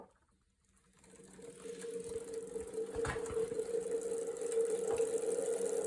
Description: Video of my new Wahoo Kickr Move with an unusual rumbling sound.